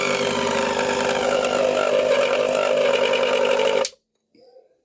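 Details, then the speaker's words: Singer mixer grinder motor powered on: harsh raspy roar with crackling edge and whine, cutting out after four seconds, sparking and smoking from burnt carbon brushes; replacing brushes will fix it. "Main হচ্ছে এটার carbon ব্রেশ জ্বলে গেছে। কার্বনটাকে change করে দিলে পরে এটা ready হয়ে যাবে।"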